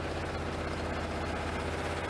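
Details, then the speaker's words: 1988 Pontiac Trans Am GTA, about 41,000–45,000 original miles, fuel pump recently replaced, cold: deep droning idle with slightly uneven low pulses; it won't catch under load when floored, with plenty of oil pressure. Owner suspects air or fuel, not spark. "that's cold put it under a load it just kind of does not go it won't even catch"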